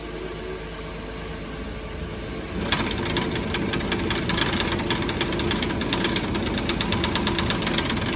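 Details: 2014 Nissan Pathfinder at idle: when the fan kicks in, a rapid uneven clanking rattle and knocking starts from a broken radiator cooling fan.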